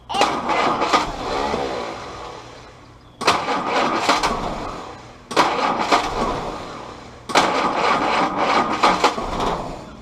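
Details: Willys CJ2a Jeep L134 Go Devil four-cylinder with original carburetor refitted: four cranking attempts each catch raggedly for a couple of seconds then fade out; timing suspected, distributor rotated slightly to get more consistent firing.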